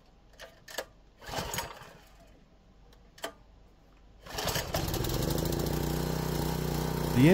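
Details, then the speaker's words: Craftsman 3000 PSI pressure washer that wouldn't start, after the carburetor was cleaned and fresh ethanol-free fuel added: a few pulls, catches at once and settles into a steady, even run with no surging; healthy. "started right up and sounds good that can only mean one thing it looks like another one is good to go"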